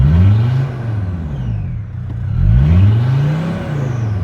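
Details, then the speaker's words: Mercedes Sprinter diesel with P299 turbo underboost code, turbo actuator lever found all the way down: idle dips and swells twice in seconds, sagging as if dying then catching; actuator wrong position or internal fault suspected. "the turbo actuator is probably in the wrong position seems like it wants to quit so let's let's turn it back on you know like it seems like it wants to die"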